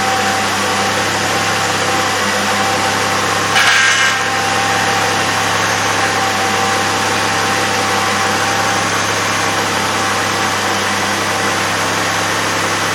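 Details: 2002 Chevrolet Impala 3.4L V6 after power steering pump and reservoir replacement, fluid level good: steady, even idle with one brief rustle near the start and no pump whine or groan; normal idle.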